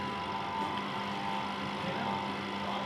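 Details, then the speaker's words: Spin-dryer motor that draws current and starts only when pushed, stalling when held or loaded with clothes: a steady low hum with a sluggish thin whine that never reaches speed. Suspected causes are clothes stuck inside or water in the motor. "इसका क्या issue है कि ये बिल्कुल slow चलती है, जिसकी वजह से ये आगे प्रॉब्लम क्रिएट कर रही है और कपड़ों को सुखा नहीं रही।"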